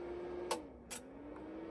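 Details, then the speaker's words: 5.1 digital amplifier with input switched by remote across ARC, optical and coaxial: two sharp, quiet relay clicks about half a second apart over a faint hum. The relays switch off and on normally. "నేను press చేయగలలే చూడండి మీకు click Mann sound వస్తుంది కదా relays of అయ్యి on అవుతుంది చూడండి"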